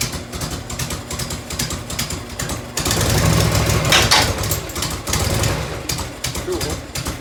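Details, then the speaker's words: 1990 Harley FLHTC Evo V-twin, cold start on choke and fuel reserve, heat shield off. Loping idle with a sharp tick on each firing pulse: exhaust leak at a crooked header clamp that needs tightening or shimming. "having a couple little exhaust ticks had one in here"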